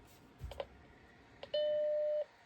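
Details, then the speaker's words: Macintosh SE powered on after a speaker replacement: a power-switch click, then one clean, steady tone under a second; the startup chime plays normally through the new speaker. "All right, and we are ready for a test. Let's see if we hear that chime. Go ahead and hit the power button."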